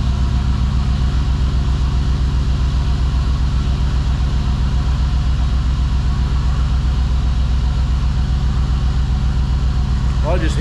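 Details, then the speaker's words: 2005 Dodge Ram 1500 4x4 with a swapped donor Hemi V8, cold after sitting a couple of days: deep steady idle about two and a half pulses a second with faint unevenness, at least one cylinder possibly missing; injectors suspected. "it took off and it's sitting there idling I think I hear at least one cylinder missing in it yet but I'll get it warmed up again and good so uh we'll see if that will bring these injectors back around here eventua"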